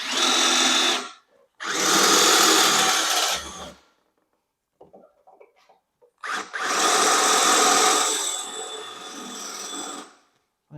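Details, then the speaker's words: Drilling out the rivets holding the rusty battery tray on an EZ-GO TXT golf cart during a lithium conversion. Two long whirring drill bursts; the motor runs hard but doesn't cut cleanly, which sounds like a dull drill bit. "that sounds like a dull drill bit. Let's try that again."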